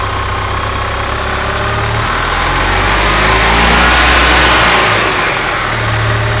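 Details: Gas EZGO TXT golf cart that came in running rough and skipping, with badly worn valves found; the small single runs a steady even beat near idle, climbs cleanly on throttle and settles back, with no miss or knock.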